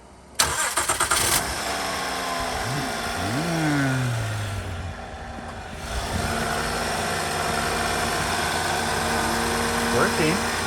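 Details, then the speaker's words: 2012 Honda Odyssey Touring Elite V6 right after replacing the mass air flow sensor and air filter: brief crank, clean catch, revs rise and settle to a smooth steady idle; normal start. "a good sign okay testing the engine whoa she's a humdinger"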